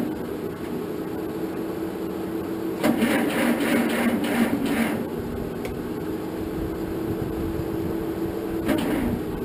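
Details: 1947 Farmall M tractor, first start attempt after rebuild, after charging battery; a couple seconds of slow, labouring cranking, about four beats a second, then quiet, too slow to fire. Owner suspects weak battery.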